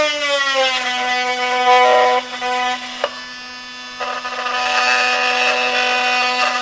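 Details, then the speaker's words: Milwaukee 2836-20 M18 FUEL oscillating multi-tool cutting pressure-treated 2x lumber: steady buzz swells louder as the blade bites into the wood, then eases off; normal load-sensing power ramp-up under pressure. "So you can hear that as I went into the wood, that it ramped it up as I got into it, and the harder I pushed, the more it would ramp up the power."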